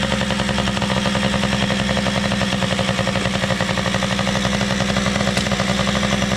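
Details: PW80 two-stroke minibike after carburetor work (OEM Mikuni carb reassembled) holds a fast, crisp, even ring-ding at steady speed with no misses or stumbles; runs great, idle could be lowered a little, only the rear tire needs air.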